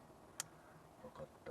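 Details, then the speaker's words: Renault Alpine V6 Turbo fuel injector bench-tested with a small battery: sharp metallic click then softer taps, a normally working injector opening with only tiny sparks, unlike stuck injectors; two injectors still faulty. "これが正常にインジェクターが動いてる音でま多少は火でますけどすごくちっちゃいの出るだけ"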